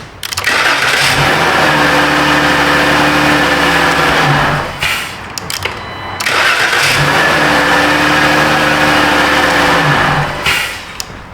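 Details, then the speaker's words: 2013 Dodge Grand Caravan no-crank fault after temporary wiring fix (tab bent): starter whirs briefly, engine catches promptly to smooth idle, twice with the same clean start. "Some great a dirt bag stuff right there. Stand by. It should crank now."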